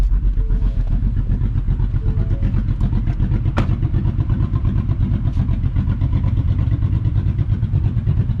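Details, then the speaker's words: Ford F150 on Multitune, tune slot 2 Ghost Cam lobe idle selected by cruise-control resume: a choppy, lumpy idle pulsing about two and a half times a second, evenly repeating; deliberate cam-lope idle tune. "It is chopping, it is lugging down."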